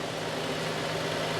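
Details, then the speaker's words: 1969 Chevy C10 half-ton long bed, freshly revived, idling while waiting for thermostat to open; steady smooth low drone with no knocks or misses; normal idle. ">> Good running little motor, man. Run it long enough to see if this thermostat opens. Still water right now."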